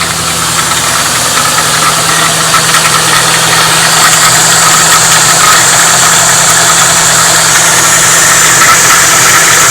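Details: Timing-area rattle at idle on a 1997 Mustang GT V8, first suspected as a passenger-side chain tensioner, but actually the crankshaft timing trigger wheel between the lower chain sprockets and timing cover, damaged around the keyway.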